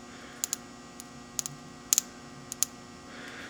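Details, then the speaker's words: Volkswagen with P0011 VVT code: cam adjuster (VVT) solenoid energised on the bench from a battery gives sharp paired clicks; solenoid works. "I'm arcing off my other one here but it actually works so I'm actually going to try it in the car"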